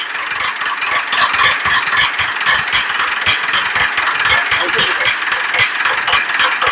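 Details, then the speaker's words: Mitsubishi Pajero Sport 4D56U common-rail diesel before overhaul, recorded right after the fuel pump was fitted, at idle: steady sharp metallic ticking about four per second, like carpentry, from a scored, worn camshaft. "Ini yang kita pasang pil pump. Dia datang dah hidup. Sekali hidup dia bunyi begini. Bunyi besi."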